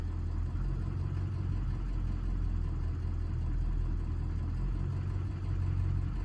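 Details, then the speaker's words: 2003 Ford 6.0 Powerstroke turbo diesel, idling in park: deep lumpy uneven idle with dips, barely running near 600 rpm; ICP jittery; owner suspects IPR or ICP issue, not confirmed. "look at the voltage here i mean i feel like she's just barely running 600."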